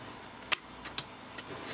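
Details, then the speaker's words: Fireflir FF110 firefighter thermal imaging camera during teardown and repair: sharp dry clicks, one loud then two fainter about half a second apart, over quiet room hiss; normal mechanical shutter calibration click, after a faint squeaky inductor-like noise. "now there's a click going on there now what that's going to be um thermal images almost always only sense temperature difference so what they usually have is a mechanical shutter"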